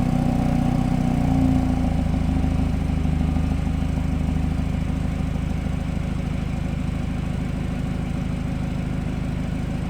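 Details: BMW F30 idling about 20 to 30 seconds after startup: steady low idle with a faint rhythmic pulsing over the engine hum, an odd noise of unclear source; cause suspected, not confirmed.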